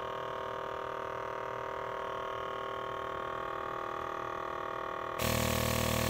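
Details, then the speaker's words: MAC boost control solenoid wired to Megasquirt, tested on 12 psi air with the engine off: very quiet at 10% duty, then a fast, even buzzing pulse with air hiss at about 20%, sending air only partially; normal operation. "let's set it for about 10 duty cycle turn that on it's very quiet at 10 but it's it's it is on so it's sending through pretty much everything now we'll crank it up to about 20. so you can hear it a little bit louder now"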